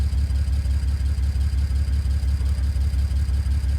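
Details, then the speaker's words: BMW N54 E91 335i wagon at idle during a misfire diagnosis, checking whether the misfire follows to cylinder 2: the idle dips in a regular lope about three times a second instead of an even beat. Misfire from a faulty ignition coil. "so as you can hear as you can hear the cries - misfiring"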